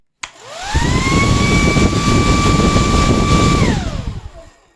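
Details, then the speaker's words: Sembo hair dryer as it arrived for repair: the motor winds up to a thin, weak steady whine for about three seconds, then coasts down; low airflow makes the heating element run very hot and melt parts, and the motor is suspected faulty. "پنکھے کی حالت خراب ہے۔ غریب کیوں ہے؟ موٹر کسی نہ کسی طرح خراب ہے۔"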